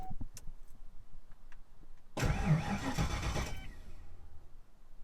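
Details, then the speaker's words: Ford Foxbody Mustang V8 just after a new 255lph fuel pump, tank and -6AN fuel line install, in neutral: a few seconds of quiet, a short crank, then it fires right up into a steady idle without stumbling. "Come on, baby. Fires right up."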